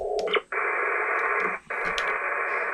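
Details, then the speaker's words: HF ham receiver with the generator and everything else off: steady even hiss across the band with two brief dropouts and no buzz or whine, the normal neighbourhood noise floor. "Okay, everything is now off. So, this is just the noise that's uh in my neighborhood, which is usually not bad."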